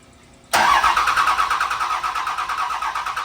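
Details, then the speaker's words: 2005 Cummins with a 2006 5.9 swapped in, cranking after swapping the starter harness: starter whirs about three turns a second but the diesel never fires. Crew checking for fuel and may need to crack the lines. "we had some hiccups we had some issues we couldn't get the truck to start"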